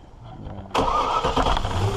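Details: 2003 Land Rover Discovery II after replacing faulty secondary air injection pump (codes P1412, P1415) with a good used unit: engine catches and settles into fast cold idle with steady airy hum on top; air pump running normally.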